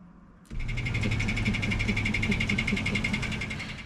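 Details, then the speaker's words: Toyota Tacoma just after a new exhaust manifold failed to cure the tick, heard at startup as it backs out of the shop: quick, fairly even tick about four times a second over idle, traced to a flexplate cracked in several places. "I was so distraught hearing the ticking noise again. I just spent $1,000, didn't fix it."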